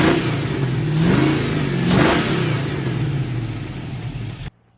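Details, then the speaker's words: Junkyard LS V8 with an eBay cam in an S10 drag truck, warm at about 194°F coolant: blips up twice, rising and falling cleanly, then settles to an even, steady idle with no knocks or misses; normal revving. "this thing sounds good"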